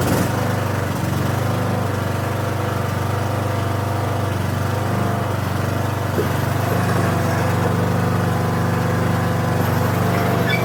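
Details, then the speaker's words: 2013 Troy-Bilt Bronco riding mower after sitting 3 years, driving out of the shed: small single-cylinder engine chugging at a steady, even pace, sounds healthy. "All right. Well, she does drive."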